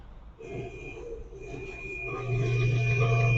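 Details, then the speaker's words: Colormaq tub washer (tanquinho), making noise and not spinning. Loud steady hum with a metallic rattling, like metal striking metal, as the motor runs: worn motor bearings; the pulley also turns but its pin is broken. "barulho bem alto porém hoje esse barulho como se fosse metal esbarrando no outro isso indica que o motor dele com rolamento ruim"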